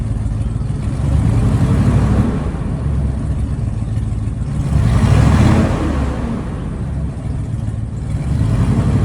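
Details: 2020 IC CW gasoline school bus with PSI 8.8L V8, start-up and revs: deep swells with a rough, puffy edge growing under throttle from an exhaust leak.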